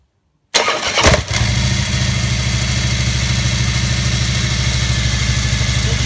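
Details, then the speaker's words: Harley V-twin with newly installed Hayden M6 BT-07 automatic primary chain tensioner: steady lumpy idle with faint high whir as the new shoe beds in; noise expected to go away after 200–400 miles once the shoe grooves; normal break-in. "so you can hear the little bit of worring in there and that is when it finally gets a Groove in here on this uh shoe then the rollers will hit it and that little bit of woring noise that you get after about 2 3 400 miles will go away"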